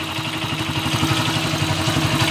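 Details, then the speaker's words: Honda TMX155 single-cylinder motorcycle at idle, steady hollow loud knock on every firing stroke over the exhaust; mechanic diagnoses a badly worn connecting rod, later replaced with original rod and bearings. "naku cancer naman Ong motor mo [Musika] boss connecting rod connecting rod na to connecting rod connecting rod na to boss"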